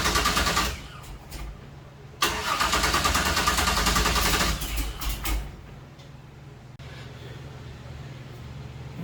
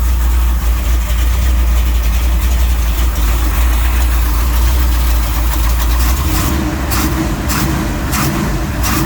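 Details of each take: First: 1966 Chevy Nova wagon with a supposedly rebuilt 327 small block, battery at 9 V while cranking: long stretches of rhythmic cranking, about three turns a second, with no catch. It cranks but won't start; the owner suspects no fuel, possibly vapor lock or a bad fuel pump. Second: Auction-bought 1966 Chevy Nova wagon with a supposedly rebuilt 327 small-block V8, first start in a long time: deep, steady idle with an even lope, no misses or knocks; normal idle, sounds healthy.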